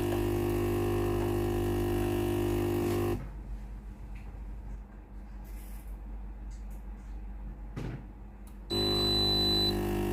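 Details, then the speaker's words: Philips PSG8160/30 steam iron, switched on and ready, dispense button pressed: steady electric pump buzz that stops briefly and restarts, yet no steam comes out; the water pump has failed. "ครับตัวนี้ได้ยินเสียงวาล์วน้ำทำงานนะครับแต่ไอน้ำไม่ออกที่หน้าเตาเลยนะครับ"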